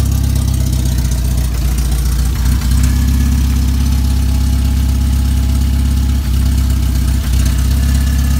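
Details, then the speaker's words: Banham Superbug kit car on first start-up, four-cylinder with 1-3-4-2 firing order, running with no exhaust fitted: loud, raw, deep uneven idle with sharp pops, sounding like an old Spitfire. "Seems like an old Spitfire firing up, man. Shit. Okay. Maybe we should have a look at the exhaust system."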